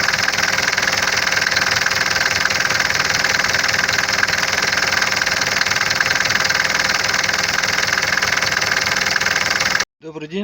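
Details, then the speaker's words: 601 diesel engine at cold idle after a Lavr engine flush and oil change. Steady diesel clatter with a fast light tapping, about four per second; a knock remains. Owner is unsure whether it is the hydraulic lifters; cause unconfirmed. "То есть на холодную двигатель звучит так. Звук, по-моему, прекратился, но все равно какой-то стук есть, не могу понять, то ли гидрики, то ли"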